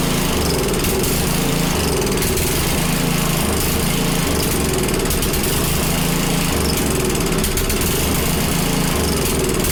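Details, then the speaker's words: Small Predator single-cylinder engine (roughly 96–110 cc) on a front-tine rototiller, just started after choking: loud but uneven running, with the beat rising and falling in bursts; rough, hunting running, and a carburetor problem is stated. "well runs that's good bad news is we have a car problem"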